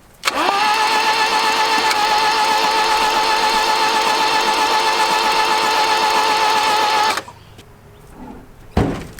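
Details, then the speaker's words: 1981 Toyota Hilux RN46 with 18R-GU engine, unstarted for at least 3 years, cranked with spark plugs out to check oil pressure: even rapid starter whine about four pulses a second, no binding or knocks; oil pressure came up; normal cranking. "we also got the spark plugs out of it I'll just crank it over see whether or not I can get oil pressure"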